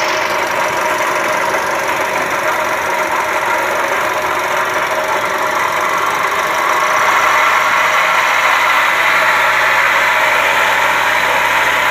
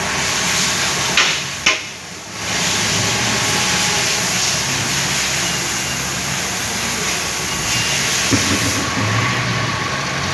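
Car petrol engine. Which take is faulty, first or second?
first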